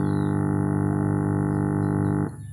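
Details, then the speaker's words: Power amplifier build with SOC 506 kit and balanced input kit, input ground clipped to the PSU ground: steady low buzzing hum with rich overtones that drops out abruptly; ground loop hum, cured by grounding to the chassis. "Nah, tapi kalau ini kita pasang di grinding PSO ya dengung. [musik] Nah, timbul nois seperti itu."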